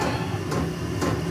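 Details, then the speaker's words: Diesel heater running at about 100 degrees: sharp, regular fuel pump bangs about twice a second over a steady heater roar. The pump speeds up when the heat is raised; the owner is considering a quieter replacement pump. "Alright, unfortunately you're going to hear that thing bang, bang, bang, and that's the fuel pump in that thing."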